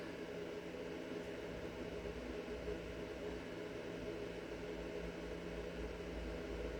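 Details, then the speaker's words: Bluetti AC200MAX power station just powered on and charging at 480 W input, 40% charge: steady whir of the inverter's cooling fan with a faint constant hum, no rattles or surges; normal operation. "This is the inverter here. And I plug that in it. You can hear it humming away. Got a nice little fan in there so it doesn't overheat."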